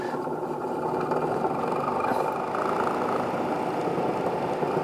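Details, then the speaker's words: Honeywell air filter fan bent and partly melted after sitting too close to a fireplace: steady fan whoosh with a busy, buzzy rattle riding on it, unbalanced and damaged. "And ever since then, it sounds like, well, I tell the missus, it sounds like a 53 Chevy just rattling"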